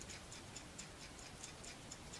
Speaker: And you should still hear the rattle. Okay? The rattle means that it's clean and it's clear and it's free from obstructions.